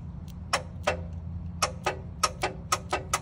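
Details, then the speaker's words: AC compressor clutch on a car misdiagnosed as faulty. Freon static pressure was too low for the pressure switch, so the relay was jumpered 30 to 87: sharp, crisp clicks in short uneven bursts as the clutch pulls in cleanly; clutch engages properly. "and you can hear that clutch so I said hey if that clutches I can actuate it hey I bet you were good"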